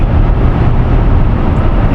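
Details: 2011 Toyota Sienna AWD on a road test at about 160 km/h after replacing the bad bearing in the rear viscous coupler that caused the howl: steady deep road rumble, no howl or rising tone from the rear driveline.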